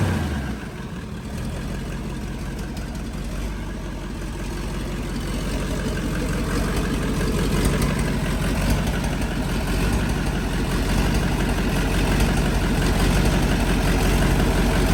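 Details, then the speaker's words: LBZ Duramax diesel drag truck on first start after build: deep idle rising with revs, with a quick tap from open exhaust manifold plug holes sounding like a big exhaust leak; air still in the system. "You're hearing a little tap, but I have the plugs out of the exhaust manifolds. It's definitely what it sounds like. It's like a big exhaust Yep. leak."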